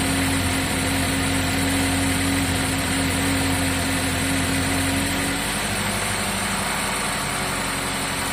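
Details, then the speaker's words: GMC 2.4 idling with codes P0300, P0352, P050D (cold rough start), coil current checked with scope on the good coil: uneven idle with wavering beat and occasional dropped pulse; misfire persists. "this is the good coil we still have our misfire"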